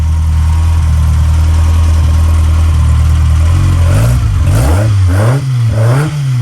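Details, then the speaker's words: Malcolm's freshly built 1040 engine, fitted in a G15, started by refitting the coil connector. It settles into a steady, even idle with a smooth low hum, then crisp throttle blips rise and fall cleanly. Normal, healthy idle and revs. "Yeah, it sounds good, doesn't it? Does sound good, yeah."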